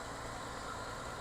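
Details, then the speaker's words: Nissan R33 Skyline whose idle air control valve is suspected to be failing; runs rough at first then clears: quiet, steady idle with an even hum and no stumbles or misses. "But it runs smooth. So once it's running, it's pretty smooth."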